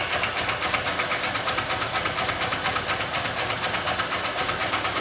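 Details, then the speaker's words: 150 cc motorcycle engine at idle with a steady, hard metallic tapping about twice a second; it knocks as the piston reaches top dead centre, not at bottom: worn connecting rod, to be confirmed by opening the engine. "quando chega no ponto morto superior é hora da batida quando chega no ponto morto inferior não bate"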